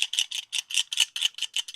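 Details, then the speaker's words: Suzuki GT750 clutch basket off the engine during rebuild, held by the microphone: bright metallic rattling in quick bursts from a loose spring in the back of the basket; suspected noisy in use, not confirmed. "The clutch basket, not sure if I mentioned this, has this spring in the back that's rattly."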